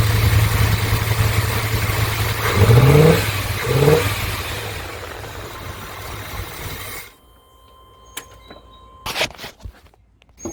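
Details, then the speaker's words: 1988 Chevy K2500, long-sitting, during fuel injection to carburetor conversion: engine catches and revs unevenly with irregular lumpy beat around 220 a minute, then shuts off; running rough, owner suspects contaminants sucked into fuel system. "no pretty rough see the fuel or spark okay so what I think is going on with that weird running I mean the the only thing that I think it could even possibly be as we've sucked up some contaminants"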